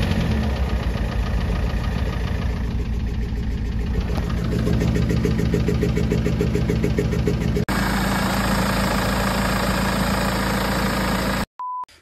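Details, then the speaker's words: BMW E90 M47 diesel at idle after a custom cone intake install: heavy rhythmic knock about three to four per second, uneven as if running on 3 cylinders. Owner first suspected a rod knock, later said it is not a rod; cause unclear. "Et vu qu'on dirait qu'elle tournait en fait sur 3 cylindres, c'est pour ça que j'ai pensé bielle. Enfin, même ça claquait comme une bielle en fait."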